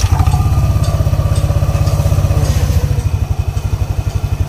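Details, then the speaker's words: Yamaha Aerox scooter after CVT replacement: steady low single-cylinder putter about four beats a second, belt running smooth with no flapping or judder at idle; normal idle. "Ang ganda ng takbo ng ano niya, ng belt, pinong-pino, wala siyang pagpag. Hindi siya pumapagpag pag naka-idle."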